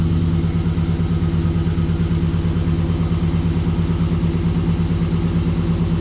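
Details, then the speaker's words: Aluminum-block 5.3 L LS V8 swapped into a 1936 GMC truck, just after first start in about 60 years, on jack stands; deep steady even idle, no misses, ticks or knocks, header smoking slightly; normal idle. "Well, she started right up. I don't see anything too catastrophic yet."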